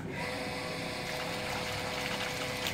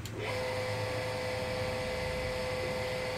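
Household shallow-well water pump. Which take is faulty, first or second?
second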